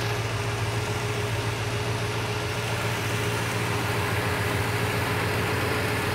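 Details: Classic V8 at a steady, even idle with a smooth low beat and no misses or stumbles, after the distributor was adjusted and the vacuum advance set up; timing reads about 20–24 degrees; running cleanly.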